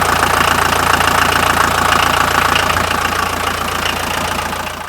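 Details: 1979 Mercedes 300 SD turbo diesel at idle, mic held close: loud, even diesel clatter, about three and a half beats a second, steady and rhythmic; smoother than the older 1959 diesel.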